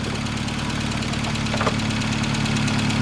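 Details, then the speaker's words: 1988 Volkswagen Scirocco 16-valve, high mileage, new battery: light, fast ticking over a steady, slightly uneven idle; lifters sound a little loud, put down to the car's many miles. "Sounds like the lifters are a little bit loud, but it does have a lot of miles on it."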